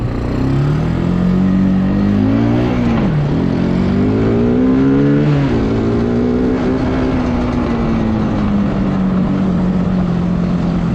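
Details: Bayou 220 ATV, sat for 8 years, on a test ride with a helmet camera; the single-cylinder note climbs and falls cleanly through the gears without stumbling. All gears work, no bogging. Normal running under load.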